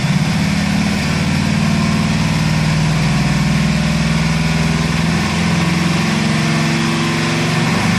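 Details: Mercedes C270 CDI diesel, hot, limited to 3000 rpm: idles with a steady low drone and an even fast pulse; abnormal engine noise when hot, no clear knock pointing to a cause.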